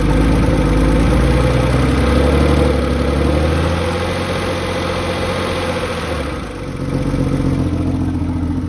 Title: 993 Lifter tick